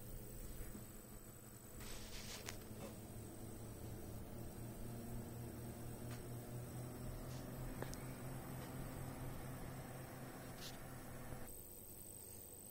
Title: Corsair HX850, squeaky, high frequency noise. Louder while under load.